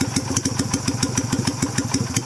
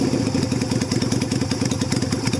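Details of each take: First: 2000 Yamaha Virago XV250, warmed up, carb with the new cut spring only: slow, lumpy idle with separate chuffs about six per second, barely keeping running; carburettor idle speed set too low and needing to be raised. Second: 2000 Yamaha Virago XV250 with its carb top back to stock (non-stock air cleaner and exhaust, rejetted), in cold weather: steady, even idle thump, then a smooth throttle blip and clean return with no misses. Normal running.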